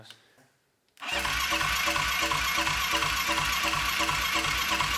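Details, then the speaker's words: Abandoned ATV engine; starter cranks steadily about three turns a second but never catches; suspected no spark, no-start. "well that should have at least like made it pick up a little bit so I don't think it has spark which is a big problem"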